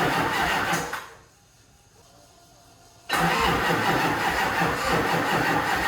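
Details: HMMWV Humvee with Duramax LBZ diesel swap, first start after FASS fuel system install: uneven starter churn, pause, more cranking, never catches; owner thinks fuel must be primed properly.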